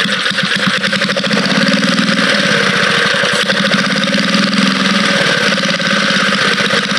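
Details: Vintage Cat Duster minibike small engine buzzing at a fast steady speed, loud and raspy but even, no knocking, stumbling or smoke; the motor sounds good: normal running.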